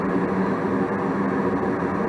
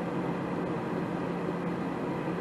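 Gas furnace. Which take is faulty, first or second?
second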